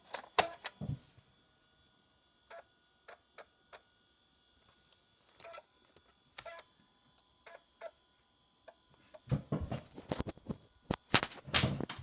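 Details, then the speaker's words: 1995 Macintosh PowerBook 5300c floppy drive reading a disk under Mac OS 8: short bursts of clicking and chattering as the head steps and reads; drive works normally. "Yep. That works. That works great."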